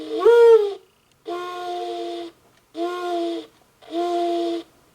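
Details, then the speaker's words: Singing bird clock after movement replacement and resoldering a loose speaker joint: clean, undistorted bird call in four even phrases with steady pitch; birdsong plays back normally. "I think that sounds better in person. I don't know if the c if the speaker on that camera is going to pick it up, but it doesn't sound distorted. Not nearly as bad."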